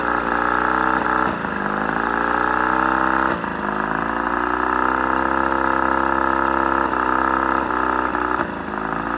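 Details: Mercury 35hp two-stroke outboard at mid throttle stumbles now and then, the note sagging briefly, a random misfire or cough that almost cuts the motor; it runs great otherwise.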